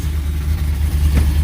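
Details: Whipple-supercharged, cammed Ram 1500 Hemi V8 after installing new MBRP stainless catback exhaust with five-inch tips: deep, even loping idle with no rattle or buzz; exhaust fixed.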